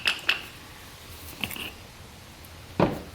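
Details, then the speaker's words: 4L80E transmission overrun drum: an early sprag fitted on a late drum rotates with a little free play before locking, giving sharp metallic knocking that would shock the part; it might work for a while but not happily. "so this actually rotates and then it there's a little bit of play before it locks you can hear that knocking in there so that would actually shock that thing"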